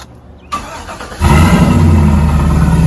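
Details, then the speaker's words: Trailblazer SS engine starting right after a new starter was installed: quick clean crank, catches at once, steady even idle with no more of the earlier clinking (once suspected as exhaust or header); faint belt noise remains, belt and pulleys due. Normal start. "nice and quiet"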